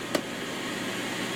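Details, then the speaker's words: Mid-1990s Holmes HAP-180 air purifier with GE motor, switched from low to medium: faint click then steady, even rush of air with no rubbing or whine; normal. "There's no startup sound to speak of. That's low. Medium."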